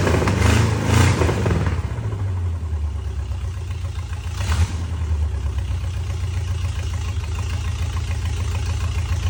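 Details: 1963 Oldsmobile 394 V8 from a Starfire, a forgotten engine reassembled that day, at first start-up: a loud rough burst, then it settles into a steady low rumble; the engine catches and keeps running.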